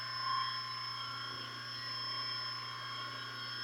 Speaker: Not making any humming noises. It's not getting hot. Sounds quiet.